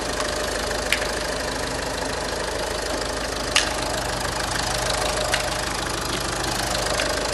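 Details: 2010 VW Passat 3C 2.0 TDI, first start after engine repair following broken timing belt: steady, even diesel clatter at idle with no misses or heavy knocks; engine settles and runs smoothly.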